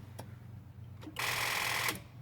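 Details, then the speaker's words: 2002 Honda Accord coupe V6: fast buzzing chatter of clicks when the key is turned, with no cranking, lights flickering and the key symbol flashing; rapid clicking, no crank, cause unknown. "as soon as I go to try to turn it to start it it does this and it makes a clicking sound don't know what that is"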